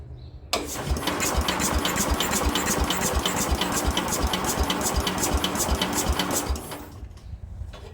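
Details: Speedex 1630 garden tractor with a new carburetor fitted, linkages not yet hooked up and an adjustment turned halfway: steady cranking at about three beats a second for six seconds, never catching; cranks, no start, and the owner plans to pull the head next.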